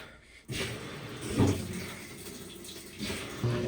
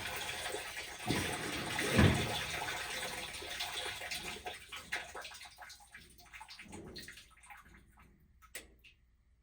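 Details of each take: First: GE GTW220ACK top-load washer after new belt fitted and pulley cleaned: motor kicks in and tub spins with low, even rumble and water swishing, normal spin, speed sensor recognised; previously wouldn't spin and ground loudly. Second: GE top-load washer GTW220ACK in service mode test 15 (agitate), filled with water: sloshing then loud rough roar with low hum; drive belt shredded and speed sensor destroyed, washer won't spin.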